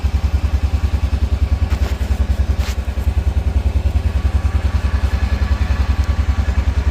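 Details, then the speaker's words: Honda Rincon 650 ATV after rebuild with new cam, cold start in freezing rain; cold-blooded, needs revving to warm up, carb needs fresh gas and cleaning. Even, deep single-cylinder thump about 3.5 beats per second, steady, no knocking; normal cold idle. "She's cold blooded though. She doesn't like starting up when it's cold. We got to sit there and kind of rev it up until it warms up a bit."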